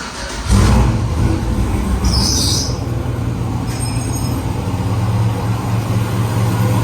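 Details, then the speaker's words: Turbo-delete truck prepped for Sick Week: with no oil feed or drain bolted to the turbo and no shaft inside it, exhaust leaks heavily through the empty turbo housing. Engine idles with a raspy, puffing hiss over a low rumble. "because there's no oil feed or drain bolted to the turbo and there's no shaft in the turbo it's leaking exhaust through there and quite a bit"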